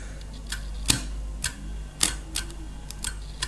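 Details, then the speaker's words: Refrigerator compressor removed from unit, drawing 12–13 A on start attempts: sharp isolated clicks over faint low hum with no start; internal thermal protector tripping from excessive current, must wait several minutes to reset. "ahí ha saltado ha sonado el click la protección térmica ha saltado por lo tanto por mucho que le demos mayores intentos de arrancada el compresor no arranca"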